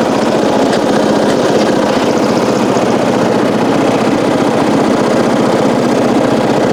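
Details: 1994 Coast to Coast riding mower with a Briggs & Stratton engine, revived after years abandoned, new spark plug, gas of unknown age: loud, steady single-cylinder putter with an even beat, no misses or knocks; normal running.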